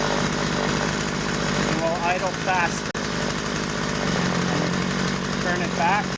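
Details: Poulan 2150 chainsaw after carburetor adjustment, low screw turned in about one turn and idle speed screw adjusted after stalling: steady, even two-stroke idle with no stalling or hunting.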